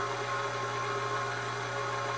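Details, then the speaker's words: Four-wheel-drive front wheel hub spun by an RC engine starter with axle removed, steady high-pitched whine from the worn hub bearing, matching the noise heard driving at 40 mph. "That's exactly the sound that I'm hearing at 40 m an hour. And you could hear that whine."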